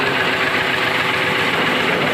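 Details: Renault Kwid with check engine and zigzag warning lights, idling after connector fix: rough uneven idle with dull shake, cylinder 3 still misfiring; compression check on cylinder 3 planned next.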